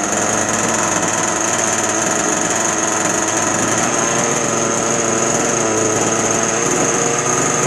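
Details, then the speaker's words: Two-stroke RC boat engine restarted on the bench with the radio on to check the neutral position: a high, steady buzz with no misses or surging. Pretty good for a bench setting. Normal running. "Okay, that's actually pretty good for a bench setting."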